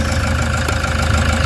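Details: Toyota HiAce diesel van after repairing EGR malfunction (codes P0400/P0406) that caused engine vibration, check engine light and low power, codes cleared; engine idles with a steady low rumble and even clatter. Finding: normal idle.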